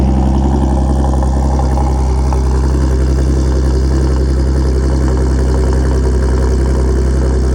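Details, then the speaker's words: 2013 Audi S5 just after a full engine swap: loud steady high cold idle with deep even hum, no knocks, ticks or stumbles; healthy fast-idling cold start. "Not as crazy as the 340i when the valves were just open the whole time, but still sounds really, really good."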